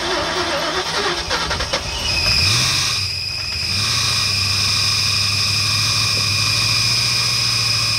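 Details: 1996 Ford Mustang GT, being revived: engine fires up and settles, then a constant high-pitched whine over idle; owner suspects the alternator, which may not be charging.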